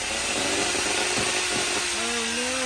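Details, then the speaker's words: Old floor-cleaning mop machine motor after the owner rejoined a broken wire: a harsh rising whine and rough grinding over a high buzz, with a burning smell. Owner suspects a worn-out stator. "don't get oh smells burn oh well I think the old mops had enough I think I've worn the stator out"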